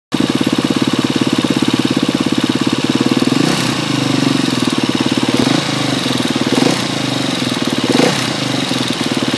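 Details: 2012 KTM 250 EXC-F with 23 hours, on Motul 300V 15W60 ester oil, idles with a fast, light ticking over the exhaust beat, present since 9 hours; owner unsure of cause.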